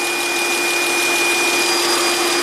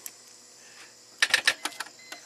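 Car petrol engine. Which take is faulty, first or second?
second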